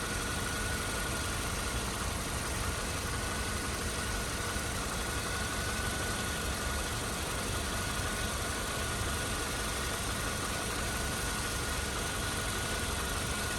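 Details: 2009 Toyota Corolla LE, 156,000 miles, new serpentine belt and fresh oil: steady even idle with no knocks, ticks or hunting, just a smooth hum, heard from under the open hood; healthy petrol engine.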